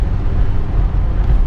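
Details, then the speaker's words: BMW 120d diesel on test drive after engine mount replacement (previously vibrated at low revs under load); steady low drone under light load, no knocks, clunks or rattles; mounts solid, drives well. "car drives really well so yeah we're quite happy with it"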